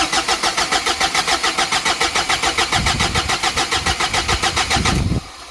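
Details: Big-turbo Ford Courier diesel ute, first start after rebuild with system primed: fast even cranking chuffs about 3.5 per second for five seconds, then catches to a low uneven idle that won't settle; fuel governor suspected, not confirmed.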